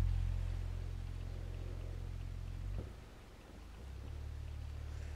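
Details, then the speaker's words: Electro-Voice 18WK 18-inch woofer from the 1950s, sine sweep stepping down to 44 Hz; deep test tone with a faint buzzy rattle; owner suspects voice coil rub/rattle, possibly shipping damage: woofer rattle at low frequency. "we got the floor rattling good now there's step down to 44 you can hear a little bit of the rattle in there hopefully pretty clearly"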